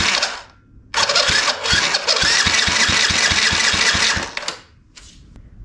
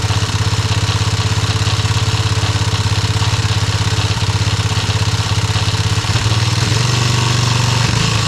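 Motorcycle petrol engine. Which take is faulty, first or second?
second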